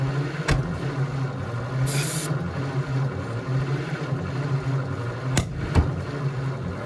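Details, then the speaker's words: 1948 Ford F4 truck after 20 years sitting, slow cranking with occasional weak firing and sharp backfires out the carburetor, won't run; owner suspects a stuck intake valve. "And we're definitely getting hits here and now, here and then, but we're getting a lot of backfiring. Out the carburetor."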